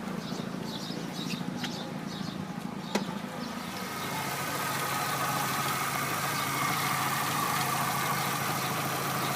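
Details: Chevrolet Aveo petrol engine after repaired ECU restored communication, fuel pump and ignition: steady even idle hum after a brief start-up, no knocks or misses; engine runs normally.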